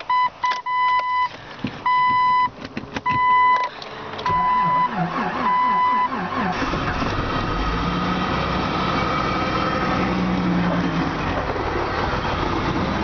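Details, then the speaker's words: 1998 Jeep Cherokee 4.0L 5-speed, 222,000 km, cold start at −39°C windchill, stiff clutch, had given trouble days before: warning chimes, long labored cranking, then catches, runs unevenly, hesitates and almost stalls before keeping running; hard cold start. "Yeah, she's hesitating. Almost died. All right. Sounds like it's going to start keep running."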